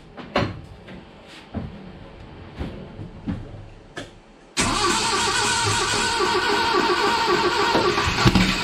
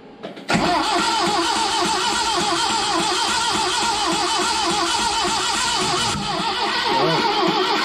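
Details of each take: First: 1970 Datsun 521 truck, apparently original L16 engine, first start after long storage, with a new Weber carb, new electronic distributor and 3-ohm coil: clicks and cranking, then it catches around 4.5 s and runs steadily. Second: 1970 Datsun 521 with an apparently original L16 engine unrun for years, new Weber carb, electronic distributor and 3-ohm coil: the starter spins it evenly for seven seconds with no firing. No fuel, with dirt coming from the tank.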